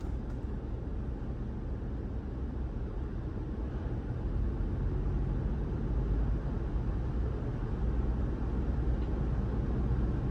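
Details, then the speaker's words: Heavy diesel truck (Mack or Freightliner) with coolant at 165°, parked regeneration started by computer. Engine revs up to about 1,200 rpm as a steady, deep, even drone: parked regeneration high idle. "You probably can't pick it up in the video, but then you can hear you can hear the truck rev up. So, if we look at engine parameters, see it revs up to about 1,200 RPM."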